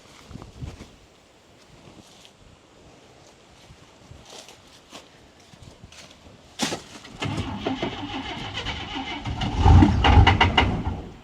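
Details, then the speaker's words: Engine restarted after sitting, following a suspected fuel-pump problem: a rough, stumbling start with scattered heavy metallic knocks only when it stutters or stops, not while running. The owner suspects loose flexplate or torque converter bolts and rules out the bottom end. Knock on stumble. "You know what it sounds like? It sounds like the bolts are loose on the flywheel. >> Mhm. Iron knocking. >> Yeah. When it when it when it's running, it's not knocking."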